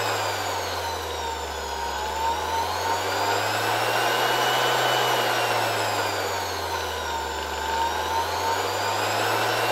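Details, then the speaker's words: Worn original antique bearings in a 1970 Zelmer 01 vacuum cleaner's East German Suhl type 1004.2/5 motor, run at much lower voltage through a regulator after reassembly: low-speed whirring with drifting pitch and a faint rough rumble, still audible despite greasing, maybe slightly quieter. "Well, you can hear these bearings despite being greased, maybe a little less than at the beginning , but it was still nice to leave these antique bearings."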